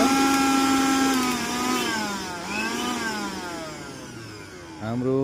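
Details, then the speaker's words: Mixer grinder after repair (coupling gear refitted in its lock): clean motor whine sliding down in pitch then picking back up, no rattle or scraping; the earlier noise is gone, runs smooth. "मिक्सचरको यो गरारी चाहिँ हामीले fitting गरिसक्यौ र हाम्रो यसमा अहिले चाहिँ साउन्ड चाहिँ आइरहेको छैन"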